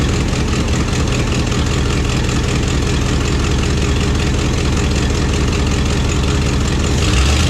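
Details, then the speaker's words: 1974 Plymouth Satellite V8 at idle, carburetor backfired once at start: lumpy idle with a rapid puffing tick on every firing pulse, about 2.5 per second beat; exhaust leak. "I can see, man, that exhaust leak's about annoying, ain't it? So we got that exhaust leak."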